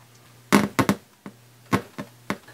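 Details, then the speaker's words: Late-1970s Pioneer Rando 2000 receiver on the bench: low steady buzzing hum, worse with bass up, on both channels, stops while a spot on the board is pressed and returns on release amid handling clicks; suspected loose connection or cold solder joint; mains hum. "I'm not sure if you guys can hear this, but I have a buzzing sound. But I hear the buzzing sound. It's more so when I put the bass on."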